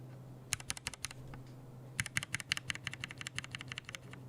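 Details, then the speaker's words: Mechanical keyboard switch lubed with laser-printer fuser-film grease: uneven bursts of bright clacks with a scratchy, sand-like edge on each keystroke, the scratchy lube variant. "definitely scratcher okay terms of scratchiness the only one that doesn't feel scratchy at always t1 but even g0 is a little bit scratchy that's it c4 again yeah I can't I can hear the scratchiness no this is like sand on your switch"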